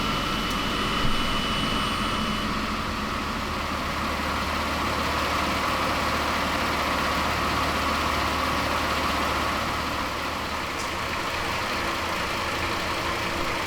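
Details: 1993 Toyota Land Cruiser 80 after new water pump, new fan clutch, Koso temperature gauge and alarm starter-kill relay removed, coolant topped off: steady even idle, smooth low hum, faint fan whoosh, no knocks or misses; no leaks, healthy.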